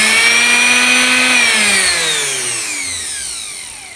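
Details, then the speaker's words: Blender motor after armature replacement, repair fully successful. Clean high whine falling smoothly in pitch as it coasts down, no grinding or rattling. A damaged armature would instead give a harsh grating sound. Normal running. "ඔන්න ඔය විදිහට sound එක එන්න ඕන. ඔය විදිහට sound එක එන්නේ නැත්නම් ඒ බෙන්ඩර් මෝටර එකේ මොකක් හරි ප්‍රශ්නයක් තියෙනවා."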